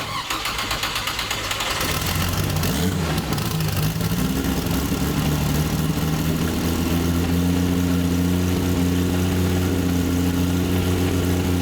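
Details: Chevrolet Opala SS turbo inline six, first start after sitting, with repaired camshaft: starter cranks about two seconds, then catches and settles into a smooth, even idle with a steady low hum; healthy.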